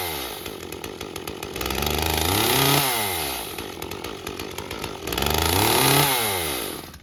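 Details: Echo CS-355 chainsaw that won't rev to wide open throttle: small two-stroke climbs toward full throttle but flattens and falls back twice, bogging; cause not confirmed.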